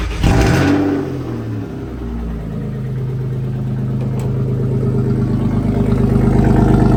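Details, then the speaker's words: BMW 318i E36 with M50 engine swap, unfinished exhaust lacking hangers: cranks briefly, catches right away, steady even idle with loud open-exhaust rumble, no knocking; normal idle. "Doesn't sound too bad considering the exhaust that we Hey."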